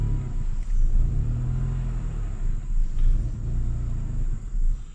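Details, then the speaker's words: BMW E39 530 M54 after sitting about three weeks, new mass airflow sensor, MAF and misfire codes cleared: low uneven idle surging and dipping every second or so; owner suspects the new MAF or fuel pump, unconfirmed. "didn't run this bad before I'm gonna say probably that new mass airflow sensor is not good"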